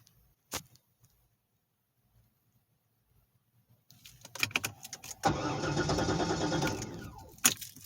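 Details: Corvette cranks a couple of seconds evenly with no firing, then starter drops out; won't start, sounds out of fuel though tank has gas; owner suspects something draining battery despite new battery; cause not confirmed.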